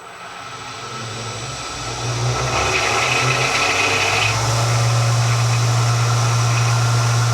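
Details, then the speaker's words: Wadkin BRS after spindle overhaul with old grease replaced, belts on fastest speed (about 7000 rpm), VFD at 60 Hz, rear door open: steady smooth high-speed hum with faint sheet-metal rattle; much quieter than before, healthy bearings. "i can easily have a conversation right beside this thing at uh at 7000 rpm with uh with a normal voice so i think that's pretty good um it sounds wonderful it's a lot quieter than it was before it's as smooth as smooth can be"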